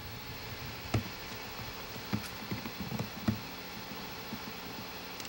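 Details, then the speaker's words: One of two secondhand floppy disk drives under test ticks and clacks irregularly while seeking, over a low motor hum and steady hiss; an unusually noisy drive. "je suis en train de tester les deux lecteurs de disquettes que j'ai eu et ainsi vous croyez que votre lecteur de disquettes fait du bruit écouter eu celui ci"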